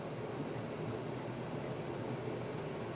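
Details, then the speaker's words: Friax wine cellar cooling unit fan on full speed with its outlet grille closed almost completely, about 350–375 pascals; a loud, steady, airy rush with a low hum and no knocks, the fan labouring against restricted airflow. "if we close it almost completely well if we close it almost completely that's 28 350 375 pascals and you can hear how noisy that is"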